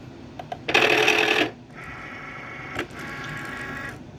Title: cricut wont load mat plus loud grinding sound